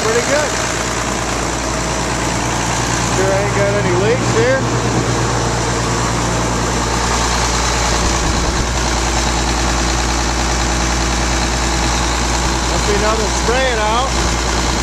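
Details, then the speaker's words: Rebuilt tractor diesel just after its first start following the rebuild, with a run-down battery: a steady, even idle with a smooth low throb and no knocks, misses or rattles; it idles normally. "Hopefully I got enough juice in the battery. The battery was run down. Now it's running."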